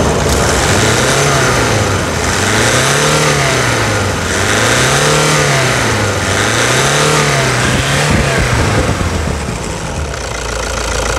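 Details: 2009 Toyota Hilux diesel idle, recorded for before/after comparison around a stuck injector replacement: deep steady idle with a slow rhythmic hunting swell about every two seconds, no sharp knock; running normally.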